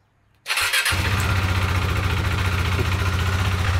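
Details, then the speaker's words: Motorcycle after track-day crash with bent side stand mount, sensor misaligned so bike thinks stand is down, started in neutral: catches instantly, steady even idle with regular low exhaust beat, no misfires; normal start. "Starts right up as though nothing happened."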